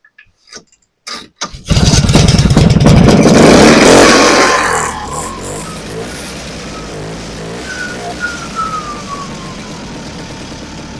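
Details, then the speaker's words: Vintage snowmobile, first start after sitting since spring: a few pull-start attempts, catches and revs hard two seconds then fades out; suspected stuck carburettor needle starving fuel, didn't free up, carburettor must come off. "Nope, she's got to come apart. I thought that maybe she might free up."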